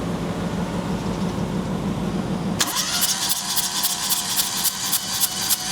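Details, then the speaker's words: 2006 Perodua Kancil, cranking during a compression test of cylinder three at roughly three and a half uneven, lopsided beats a second; cylinder three has lost pressure, with a sticking valve or leaking gasket suspected; low compression in one cylinder. "Okey, ini tandanya piston nombor tiga ni dalam sistem pembakaran dia dah lost pressure."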